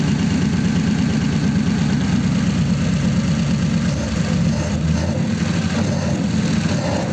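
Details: 1933 5-window coupe, worn "crusty" flathead started after nearly 3 years parked, idling in a closed garage through dual pipes with very short mufflers: deep, even, steady burble with no skips, knocks or ticks; normal healthy idle.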